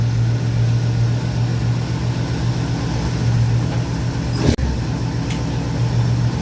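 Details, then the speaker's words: 1951 Mercury flathead V8, 72 years old, idling after an oil change: a deep, steady, even burble with one brief click, strong oil pressure; it sounds happy and runs like a dream, a normal idle. "Sounds like a happy Mercury to me. Oh yeah."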